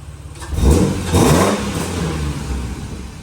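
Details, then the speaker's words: BA Falcon drift car with a swapped green-top Barra engine and 25% underdrive pulley, warm after about 25 minutes idling, coolant bled and oil checked: two quick, clean blips back to a steady idle, no knocks or rattles. Normal free revving. "She's been running for a good 20 minutes, 25 minutes, just sitting here idling. Everything sounds good. Coolant's bled up, oil level's checked. Just give it a couple of revs, bro."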